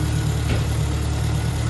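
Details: Ford Anglia engine idling at first start after fitting a Weber carburettor, new manifolds and exhaust, cooling system probably bled (probably no thermostat): smooth, steady low idle with an even beat and no ticks, knocks or hunting; healthy.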